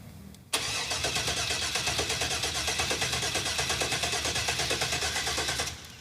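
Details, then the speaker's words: 1966 Corvette last on the road in 1993, with no cooling system yet: steady starter cranking about three turns a second for five seconds with no firing. The fuel relay clicks but the pump was not heard running. "that's disappointing I never heard it pump"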